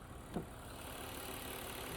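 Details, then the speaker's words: 2000 BMW E46 323i, original 2.5 L inline-six with 364,000 miles, listened to under the hood: quiet, steady idle with an even low drone, no knocks or misses; runs smoothly. "That is a 364,000 mile original 2.5 liter inline six. Runs pretty smooth, honestly."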